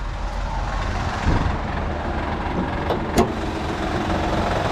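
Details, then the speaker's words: 2009 Honda Pilot 3.5L, 185k miles, noise near belts at startup: idling low rumble with scattered sharp knocks from the timing belt tensioner; a separate clicking blend door actuator was also heard. "that noise that's the time belt tensioner i don't even have to look any further for sure"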